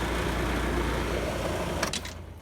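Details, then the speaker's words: Replaced HVAC fan motor and capacitor, blades hand-straightened, rotation checked correct: steady low hum and gentle even whoosh, then winds down; much quieter, only slightly out of balance. "well it turns out it's already correct as it is and it's a lot quieter so it's not too bad out of balance"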